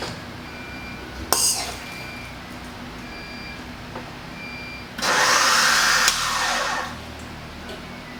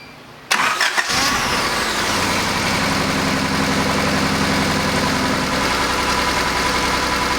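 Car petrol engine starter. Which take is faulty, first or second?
first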